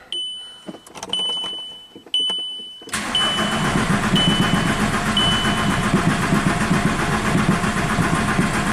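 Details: 2006 VW Jetta TDI (year uncertain) that sat 4 years, cranking with the clutch depressed after an engine swap: a few beeps, then steady cranking at about four beats a second that never catches. Glow plug codes and P0341 camshaft position sensor set; cause not confirmed.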